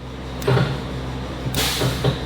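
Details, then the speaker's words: Exhaust brake (Pac brake): steady low diesel idle, then a sharp click and short air hiss as the valve snaps shut; it deactivates with throttle, working normally. "hear that activate so that's deactivated when there's throttle soon as it goes to idle it deactivates so that all works"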